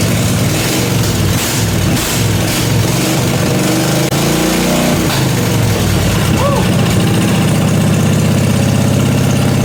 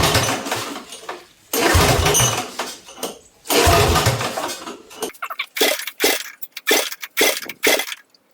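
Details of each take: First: Briggs & Stratton 16 hp 479cc Vanguard V-twin in an off-road go-kart, straight-piped, after carburetor deep-cleaned: catches and settles into even steady idle with a clean blip; runs really good. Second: Briggs & Stratton 16 hp 479cc Vanguard V-twin for a go-kart swap, straight-piped with muffler cut off, before carburetor cleaning: repeated loud cranking with ragged uneven firing that never catches; dirty carburetor prevents starting.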